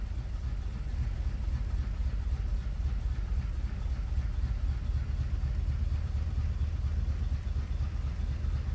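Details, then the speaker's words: 1988/89 Chevrolet Corvette C4, sat over winter, first start after rewiring and hotwiring the ignition: low, lumpy idle with uneven stumbles and dropped pulses; running rough with a misfire, cause not confirmed. "Okay, it's kind of running. It has a misfire to it."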